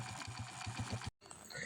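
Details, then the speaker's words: Motorcycle engine, owner points to a gasket as the problem: even, steady low firing beat at idle, no knocks or rattles, brief dropout then quiet running; sounds healthy. "Tahimik na naman po. Pwede na!"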